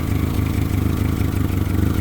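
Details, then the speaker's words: Honda Civic EK replacement engine, long-sitting car with very old gas, at idle after startup: lumpy sputtering uneven idle; fuel pressure only about 28–30 psi, unchanged with regulator disconnected; owner plans tank drain, fuel pump and filter. "Little sputtery on startup and you can hear it's still sputtering,"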